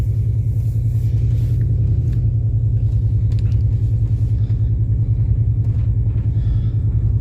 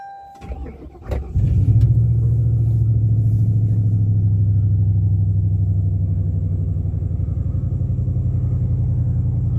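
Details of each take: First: 2000 Mercury Grand Marquis driving after being warmed from a 29°F cold start; a heavy low rumble with an uneven, stumbling pulse as the engine misfires, power cutting in and out like a four-cylinder. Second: 2000 Mercury Grand Marquis cold start at 29°F, owner suspecting a temperature sensor causing limp-mode misfire and a flashing gauge: brief crank, then a steady, even, smooth idle; sounds normal so far.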